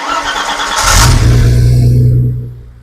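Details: Freshly rebuilt BMW M20 engine built to 325iS spec, first start on a test bench with water pumps and temperature gauge connected: quick crank, then fires cleanly and settles into a smooth, deep, even run; normal start.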